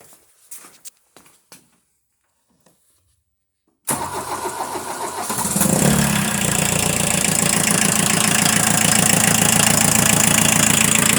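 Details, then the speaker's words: Rebuilt engine's first run after machine-shop head work (line-honed cam bearings, new exhaust valves) and a gasket replacement: it catches and settles into a steady, even idle. Idled 15–20 minutes and is warm; has a cam seal oil leak, a coolant leak and a poorly tracking cam belt. "as you can hear it does go and it goes pretty good"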